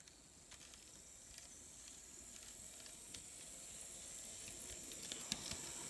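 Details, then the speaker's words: Kato N scale C44-9 locomotive on track after disassembly, lubrication and wheel cleaning for noisy running: soft, even motor hiss with only faint scattered ticks, no squeal or grind; normal running. "so i think we're done with our noise problem that's for sure very cool stuff"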